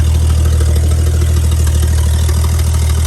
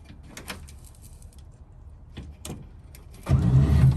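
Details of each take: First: 1955 Chevy V8 idling after starter and fuel work, now drawing fuel from the tank through the filter instead of a fuel can, shut off soon to avoid overheating; steady, even low rumble with no misses or knocks; normal idle. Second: Bagged 1955 Chevy, in-car, first try after bolts and wiring were redone: a few faint clicks, then the starter spins the engine with a loose, uneven churn but it never catches; crank no start, fuel line suspected next.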